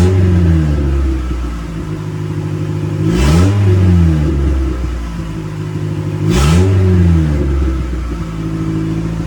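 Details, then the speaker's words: Turbocharged D16Y8 Honda Civic after fitting the missing wastegate firing ring to stop an exhaust leak: deep even exhaust drone with two clean rev blips, no hiss or leak; normal turbo exhaust note. "Guys, it's finally on. It's not leaking out of here. You actually hear the exhaust now."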